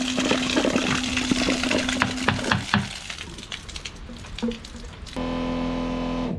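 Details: Boat black-water holding tank pump test after finishing its wiring: splashing and gurgling, then a steady even hum as it drains without strain. Normal pump operation.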